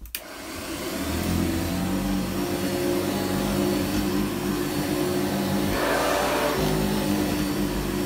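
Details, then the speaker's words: Vintage 1985 Hoover Commercial U7008 upright vacuum switched on at the handle at first run after unboxing; a click, then a smooth steady motor hum with no rattle, squeal or belt slap, very quiet. Running normally. "So here we go. Runs good. It's very quiet, I have to say, very quiet. Quieter than a normal senior actually."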